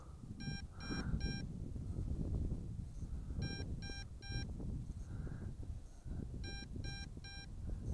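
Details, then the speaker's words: MJX Bugs 2W GPS FPV drone controller gives groups of three quick low-battery warning beeps about every three seconds at two battery bars, with the drone about 120 m out; return-to-home does not engage. "but it does warn you it gives you plenty of warning hear that beeping I still got two bars of battery so you get plenty of warning"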